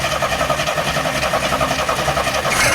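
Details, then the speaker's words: 1974 AMC Hornet with a points distributor, parked for years, started after checking for spark at a removed boot: engine runs hard and uneven with a raspy, unsettled roar and is shut off quickly; cause unclear, but it did start. "whoa okay shut off shut off shut it off trying to keep backwards it should shut off yeah there you go laughs wow okay I don't know what that was all about all right but it did start"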